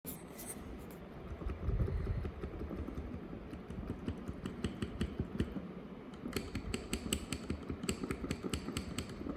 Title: Casio Pxs1000 clicking noise on black keys